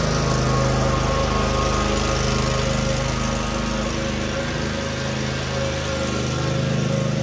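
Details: Cub Cadet RZT-50 zero-turn mower engine after crankshaft seal replacement and new aftermarket carburetor (original freeze-damaged): steady even drone holding speed, no misses or hunting; running normally.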